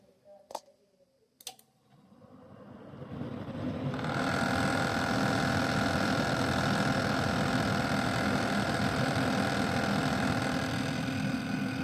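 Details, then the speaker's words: Rise Mode 240mm RGB AIO water cooler, about 3 months old, pump set in BIOS to run at 12 V constantly: loud steady droning hum building right after power-on; pump noise that began faint and grew over two months. "esse barulho todo é daqui é da ventuinha"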